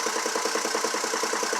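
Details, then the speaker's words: 2002 GMC Envoy 4.2 at idle: a steady, rapid, uneven pulsing chuff instead of a smooth hum. The cylinder power balance test confirms a constant cylinder 2 misfire matching the check-engine code. "Here's our cylinder 2 that confirms that the uh checkin light code was accurate. It is constantly misfiring."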